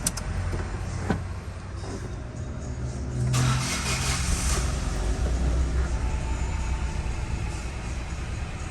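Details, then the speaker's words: Ford Ka 1.0 three-cylinder, after repair of an oil warning light and engine noise. It starts and settles into a smooth, low, even idle with no oil light and no knocking or rattle. Normal start and idle. "e acabou o barulho no motor aí ó motor redondinho bonitinho [Aplausos] funcionando perfeito"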